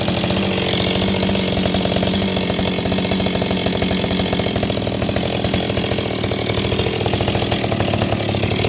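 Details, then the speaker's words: Repaired Stihl 026 chainsaw with an aftermarket muffler, baffles removed, hollow, fitted with a pipe; started in a cold shop. High-revving, crisp two-stroke buzz holding steady for several seconds without stumbling. Runs good, oiling good, healthy. "runs good, oil's good. I don't know what else I can say."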